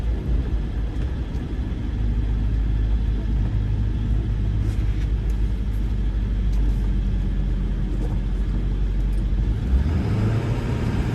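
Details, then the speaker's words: 1999 Ford F-350 Lariat Super Duty 4x4, 7.3 Powerstroke diesel, 46k miles, test drive: only steady low road rumble while braking around a corner, no squeal, grinding or clunk; brakes quiet, pedal firm. "the brakes don't make any noise the pedal is not soft or spongy you can hear how quiet the brakes are as i slow down around this corner"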